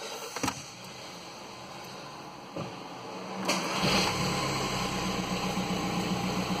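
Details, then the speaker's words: 2008 Skoda Octavia 1.9 TDI, first start after clutch, flywheel and gearbox fitted: a few clicks, cranks and catches into a steady even idle without hesitation; starts normally. "Starts up, no problem."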